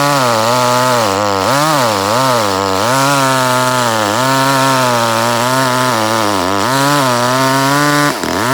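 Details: Echo CS-310 chainsaw, about six to seven years old, running worse and worse for months despite new air and fuel filters: revs climb, then sag and surge every second instead of holding; a misfire from a faulty spark plug.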